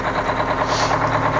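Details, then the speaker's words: Aerodyne cabover diesel truck that sat 27 years, now on its own fuel system after running out of fuel until the line was switched over: steady, even diesel clatter with no stumbling or surging; normal idle. "so i ran it out of fuel but it sounds like it's picking it up now i forgot to switch line over"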